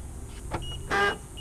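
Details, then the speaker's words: Lexus IS300 door lock actuator, rebuilt with new motors only a couple of weeks earlier: short whirring buzz, a click and a brief grinding burst as the lock cycles. Owner suspects stripped plastic gears or a broken actuator. "that noise so what I think that is is the plastic gears inside are either stripped or the actuators broken"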